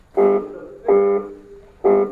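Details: Lathe motor hums but fails to start: three short bursts of steady electrical buzz with no spin-up; when forced it sparks before turning. Mains, contactor and overload checked normal; the capacitor is suspected, with a burnt capacitor socket.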